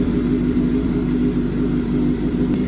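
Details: 2007 Suzuki GSX-R 750 (K7) after cam chain tensioner refitted: steady, even idle hum with no loud rattle from the engine side that rattled before; normal idle.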